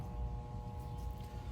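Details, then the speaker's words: Central AC outdoor unit, thermostat calling for cool, contactor pulled in, refrigerant present: steady electrical hum with fixed tones but compressor never starts; compressor stalled on a failed capacitor, later replaced and system ran. "The cool is on. Fan is cool is set to on to a lower temperature than what it's needed to be. My contacttors pulled in. Hear that hum?"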